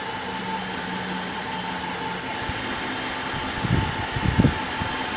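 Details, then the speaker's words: Chrysler 5.7L Hemi, first start after rebuild with new heads following a dropped valve seat, pre-lubed by cranking: even settled idle, steady low hum, no lifter ticking or knocking, a few brief bumps; normal idle. "sounds pretty normal no lift or ticks or nothing Prelude took care of that"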